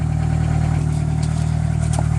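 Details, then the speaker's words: 1998 Honda Accord before repair gives a loud, deep, blatting idle rumble with a raw pulsing edge. All exhaust escapes through a hole in the rusted muffler, none out the tailpipe, and it smells bad. Exhaust leak. "As you can see, as you can hear, it's loud, and also you can see kind of all of the, you can see the hole there, all the exhaust gases coming out of that hole, and none out the tail."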